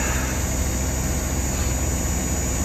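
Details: Hitachi inverter unit after ISPM inverter board replacement: steady low compressor hum with constant fan rush on top, no knocks or rattles; compressor running smoothly in heating mode, though one fan is suspected of a bearing noise.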